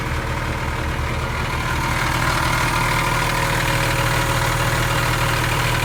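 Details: Airman PDS185S portable screw compressor with Nissan diesel industrial engine, after full service and fuel refill: catches and settles into a steady, even low chug about three beats a second; clean, healthy idle.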